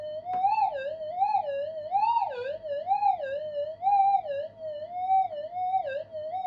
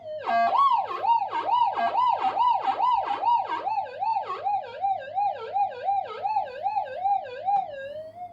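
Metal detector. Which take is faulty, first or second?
first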